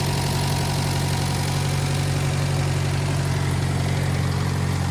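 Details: 1956 French-built Massey Harris Pony 812 tractor, Simca 9 gasoline engine, after fuel pump rebuild, leak now fixed: steady low even chuff at idle with no misses or knocks; runs smoothly.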